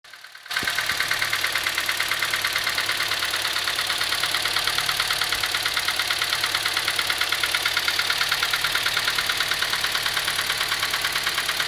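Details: Engine at idle, described as dieseling: sharp, even ticking about three times a second over the idle; valve train tick from worn rocker arms.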